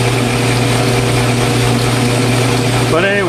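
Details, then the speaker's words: 12-inch Atlas 3996 quick-change lathe, idle about 20 years, new drive belts, turning 1¾-inch stock in three-jaw chuck: steady low growl with fixed hum under motor noise; gear train growling. "but i suppose you can hear it kind of growling in the gears there"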